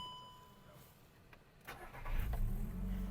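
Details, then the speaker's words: 2008 VW Golf 5 1.6 MPI petrol, 187,000 km, one owner, imported from Germany. Short crank, then it catches quickly and settles into a quiet, even idle with no knocks or misfires; a healthy start. "звівся співтиху працює тихо рівно"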